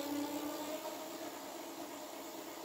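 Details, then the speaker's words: Lankeleisi X3000 Max fatbike, dual independent 1000 W hub motors, rear wheel lifted, first assist mode at full throttle, speed capped at 25 km/h: smooth steady electric whine at one pitch, no grinding or clicking; motor healthy. "premier mode on est déjà à 25 on va le mettre à fond ah bah il est bloqué ils l'ont bloqué à 25"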